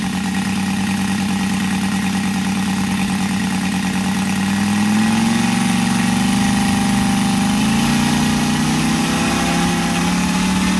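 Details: Brand-new Saito FG-73 five-cylinder radial, fully upgraded with Morris Mini Motors hardware and exhaust ring, on a Biela 20x10 four-blade prop (600–5500 rpm): smooth, even drone climbing steadily in pitch as throttle opens, no stumbles or knocks; normal, healthy running.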